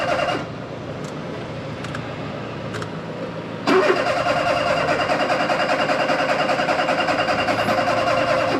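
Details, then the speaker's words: Budget £700 first car; owner says it did the same yesterday after filling up: faint clicks then steady cranking, about 2.5 beats a second, never catches. "Why he can't start his car? What's the matter, Mike?"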